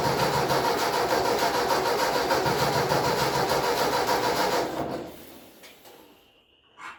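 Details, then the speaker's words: 1966 Ford Mustang: starter spins steadily about three turns a second but never catches; owner suspects moisture in the distributor from temperature swings, and the new plugs came out wet, running rich. "So the plugs were really wet. Figured that. Clean them up. They're new plugs. Looks like it's been running a little rich."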